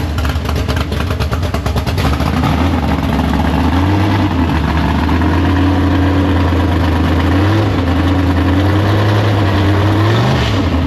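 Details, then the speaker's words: Big-block Chevy V8 in a gasser drag car, first fire-up after sitting, run up to temperature, carb downjetted: lumpy idle with quick throttle blips that rise and settle cleanly, no knocks or misfires; runs fine. "But the thing runs. I got up to temp and everything like that."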